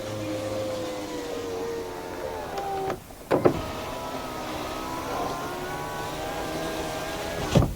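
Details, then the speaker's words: Honda Odyssey passenger-side power window after replacing the defective master switch; smooth, steady motor whine each way with even pitch and clean stop, window working normally. "so now we're going to roll the window up and down window rolls down nice all right so this is fixed guys"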